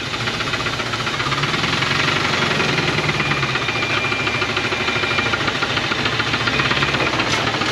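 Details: 1980 Dodge truck with a 360 V8 and four-barrel Thermoquad, sitting about 18 years, first start on fresh gas: a sharp, rapid metallic knock over a rough, smoking idle throughout, a known rod knock.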